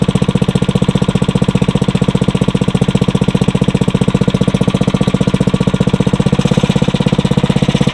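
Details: Briggs & Stratton 900 series engine, used about 2 hours a year, oil unchanged for a long time, just cold-started on choke on the first pull after cold nights; strong, even single-cylinder thumping settling into steady idle, no misses or knocks. Normal idle.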